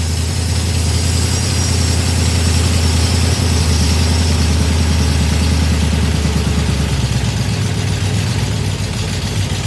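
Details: Small-block 307 V8 with FiTech EFI, deceleration IAC set to +20. Deep burble with the revs sinking lazily back toward idle instead of dropping promptly; the setting didn't work, giving a slow return to idle.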